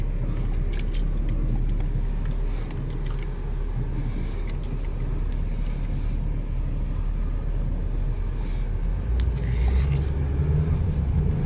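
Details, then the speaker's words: 2001–04 Chevy Optra test drive after bolt tightening: steady low road rumble through right turns with no clunks anymore. Owner suspects the clunk had come from a broken or wiggling CV axle rather than the strut. "So far so good. Okay, I'll turn right. Oh wow. I don't hear any clunking sounds anymore."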